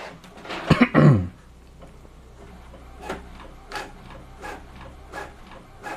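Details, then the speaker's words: Epson inkjet printer printing 5 copies with quiet mode on: soft, even swishes about every three-quarters of a second, no grinding or clatter; smoother sound, normal quiet-mode printing. "Ya, ini quietnya di on kan nih. Jadi suaranya hampir sama. Lebih halus suaranya."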